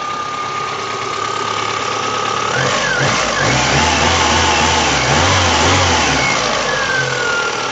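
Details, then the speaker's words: VAZ 2109 petrol engine revving up and settling back after refitting a new alternator whose loose lower mounting bolt caused a vibration rumble; bolt and tensioner tightened, now smooth with no rumble or knocking. "вот теперь заводим дырочку и аллилуйя никакого грохота нет"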